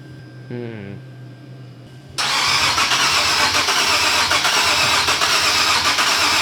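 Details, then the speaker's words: Supercharged Nissan 370Z Nismo, first start after air-to-air kit conversion and timing/gallery gasket refresh: even starter cranking about two and a half beats a second, good compression, never sputters. "I don't know. It don't really sound like it's trying."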